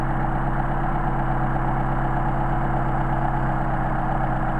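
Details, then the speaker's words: Mercedes 190SL with Solex carburetors on test, petrol engine idling with slightly uneven, loping beat as the idle mixture screw is set extremely far out, demonstrating degraded idle before finding the best midpoint. "ok so that's the demonstration of the extreme now we will find the midpoint or it runs the best without going without going this far out"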